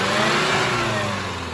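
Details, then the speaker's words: Skoda Superb 1.8 TSI petrol that was misfiring and hunting with a cam timing code: with the cam adjuster sensor removed it now revs cleanly with an even, steady note; suspected internal oil pressure leak affecting cam timing advance and retard. "Sir race अब देखिए आवाज एकदम smooth हो गई है इसकी"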